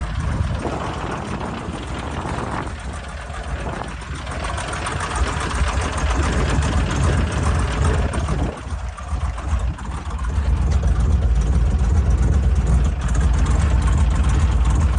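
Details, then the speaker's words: LS V8 running very rich, smoking, with a leaking wastegate: low, uneven idle with lumpy irregular exhaust pulses as if some cylinders aren't firing; owner doubts rod knock, possible misfire. "well that does not sound healthy at all like it doesn't quite sound like Rod knck I don't think it's that"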